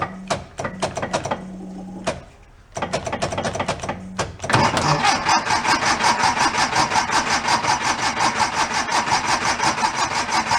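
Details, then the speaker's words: 1976 Porsche 914, converted to a station wagon in 1978: fuel injection not expected to work, but with spark it cranks in short bursts, then catches on poured-in fuel and runs unevenly for several seconds. "fuel injection I'm not expecting to work but if we have spark and we can crank it it should fire if we drove a little bit fuel and see what happens"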